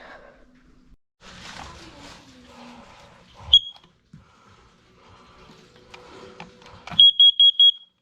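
Four sharp, high-pitched beeps in quick succession after some handling; the carbon monoxide alarm answers its test button properly.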